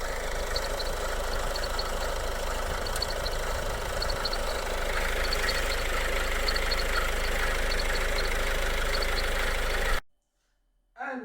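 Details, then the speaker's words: Idle with a faint steady high chirping whir that persists with the alternator belt disconnected, ruling out the alternator; worn water pump bearing suspected. "If the alternator belt disconnected like you can see the noise still there the alternator is disconnected I was thinking it was alternator in the beginning"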